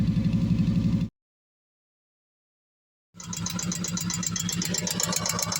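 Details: 2014 Kawasaki Vaquero utility vehicle idling with a light, rapid metallic lifter tick over the exhaust, compared with after replacing the front four lifters, when there is no ticking.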